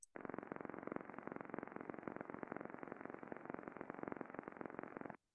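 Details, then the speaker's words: Shaft coupling heard through heterodyned ultrasound data collector, amplitude around 15,000–20,000 dB microvolt versus a few hundred when healthy: hard, rapid, even knocking about 2.5 per second with rotational-speed harmonics in the FFT; bad coupling impacting. "a lot more energy being produced uh again some impacting I'm hearing that noise shouldn't be hearing anything"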